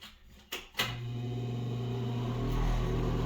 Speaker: Hear that little vibration? We're going to see if we can cure that. Normally, it just has dust on the fan blades.